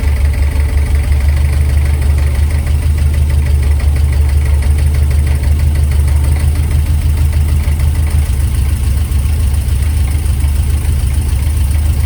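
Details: Ford experimental prototype Corsair, fuel-injected Essex V4 with Capri 5-speed, first start in 1.5 years, tickover being adjusted with air filter off: steady low idle with a faint, fast, even clatter, the alloy timing gear rattling.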